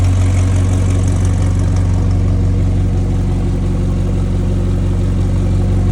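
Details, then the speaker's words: McLaren 720S after repair of engine failure from high oil temperature at Time Attack, oil primed before start; loud deep perfectly even cold idle, steady low beat, no knocks or ticks, stable oil pressure; normal cold idle. "Fire up this car. Now it's gonna be loud. It's a cold start."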